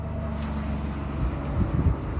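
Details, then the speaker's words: Mercedes S600 V12 after retightening loose spark plugs on the LH2 bank, compression okay, first start since the previous day with diagnostics connected; short low even rumble settling without stumbling or misfire: normal start. "It actually started up just right, like by listening of the actual initial start."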